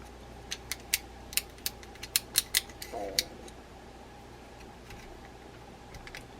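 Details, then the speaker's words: Vintage Zebco Z20 spinning reel, stuck bail freed by spraying penetrating oil on the bail arm joint and line roller during service. Crisp quick clicks as the bail is flipped back and forth, no dragging or sticking; smooth bail action. "once you do that then you can work these things look at how quickly that improved the bail"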